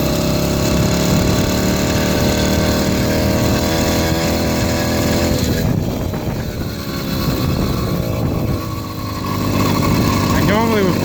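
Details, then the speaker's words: 80cc two-stroke motorized beach cruiser bicycle while riding, before a performance carburetor was fitted; buzzy drone sags and stumbles for a few seconds instead of climbing, not giving its power band. Engine hesitation, lack of power. "It just isn't giving me that power band that should."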